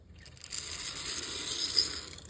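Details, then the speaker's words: Vintage L&N F-unit model locomotive from a second-hand collection running with a dry, gritty rasp and rattle over the motor hum. It is suspected to have sand or loose debris in the gears, but it runs. "It's a little noisy. You can tell it needs a little bit of work. Almost sounds like there's some kind of sand or something shaking around in those gears, or maybe some loose like Woodland Scenics products or something, but you know, definitely a runner."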